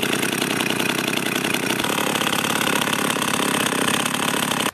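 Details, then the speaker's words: Husqvarna 51 chainsaw at idle adjusted as low as possible: fast buzzy idle with chain rattle; chain still turns due to a weak or broken clutch spring, before spring replacement. "so as you can see there I tried to adjust it to it all as slow as I could and the chain still turned so I'm going to start the operation of replacing the spring in that clutch"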